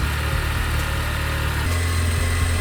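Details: 1976 Toyota Celica RA24 petrol engine at warm idle: a steady, low, even rhythm that runs smoothly once warmed up, after a brief misfire on cold start that cleared. Normal warm idle.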